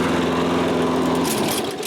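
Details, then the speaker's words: Toro Recycler self-propelled mower, about January 2010, auto-choke carburetor, after fixing a no-start and pull-starting: steady even buzzing drone, then winds down at shutoff, no misfire; normal running. "so let's pull the cord on this and see what we can get her to do good enough for me so seems to run okay"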